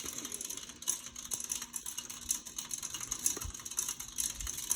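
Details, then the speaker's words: Casablanca Four Seasons III ceiling fan running with light, uneven ticking clicks over a faint motor hum. The owner suspects a screw or debris inside the motor; the noise goes away after a while. "yeah making that noise because something is in the motor maybe a screw or a piece of trash from the guns there"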